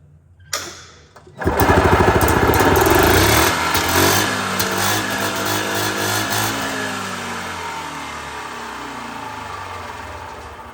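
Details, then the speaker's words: Yamaha G1 two-stroke golf cart, first start after installing exhaust, fuel pump and carburetor, no choke needed, belts and air filter off: cranks, catches, revs crisply, settles to an even rattle; runs with good power. "so sounds pretty good motor seems to have good power there"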